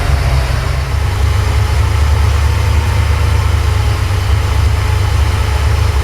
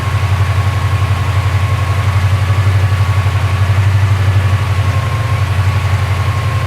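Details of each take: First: Porsche 928 V8 idling during an ignition timing check with a strobe on cylinder 1, which reads about 10 degrees before. Deep, slightly lumpy idle with an uneven beat while the mixture is still being set. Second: Porsche 928 V8 after careful mixture screw adjustment, idling around 1,100 to 1,200 rpm: steady, even low throb with no stumbles, no longer misfiring; exhaust bracket rattle remains; normal running.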